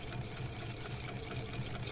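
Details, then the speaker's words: Sewing machine with newly installed servo motor running at about 400 stitches per minute: steady hum with a soft, regular scuff as the drive belt rubs on the table, still to be adjusted. "esse barulhinho que tá fazendo aqui é da correia que tá pegando na mesa então ainda vou ajustar aqui para tirar ela que tá pegando na mesa"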